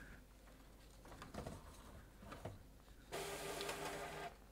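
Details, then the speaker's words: HP PhotoSmart C7280 all-in-one running media sense calibration to fix Paper Mismatch/Calibration Error loop from an out-of-spec media sense sensor; soft mechanism clicks and whirs, then steady feed-motor run as paper shoots through; normal calibration paper feed. "we're going to see if we can get this fixed so now it's going to go churn and do its thing"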